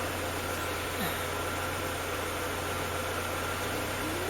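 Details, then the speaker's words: Mercedes W201 190E 2.0 petrol, over 30 years old, started after fuel pump replacement (pump now audibly running, wasn't before): steady, even idle hum with constant low drone, no misses, knocks or surges; normal healthy idle. "The pump is actually working, and the car started, because it started before when I changed the fuel pumps, but"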